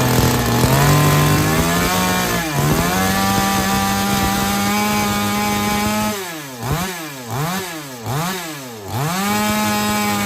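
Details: Chainsaw cutting wood after carburetor tuning, with H and L screws turned fully in and the H screw backed out three turns, to fix not taking load and not restarting after running. Revs high and steady, dips as it bites, and recovers cleanly; pulls normally under load.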